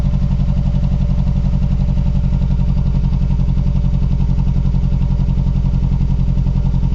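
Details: Mazdaspeed3 / MPS cold start: cold idle stumbles with uneven chuffing beat three to four per second, looks like misfire, unconfirmed; rough idle.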